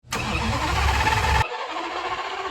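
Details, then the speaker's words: Lamborghini after rebuild and engine/transmission reinstall, first start attempt: a short burst of cranking that never fires and drops away; crank no-start with no fuel pressure. "I don't have any fuel pressure."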